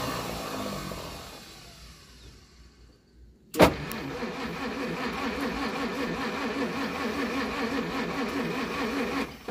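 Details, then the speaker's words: 1937 Pontiac Silver Streak barn find, long sitting, after the points were cleaned, with throttle and choke: the starter churns evenly for about six seconds but the engine never catches. Spark is present but weak. "let me clean them points a little bit okay all right points are cleaned up let's give her a shot it's got spark okay not great"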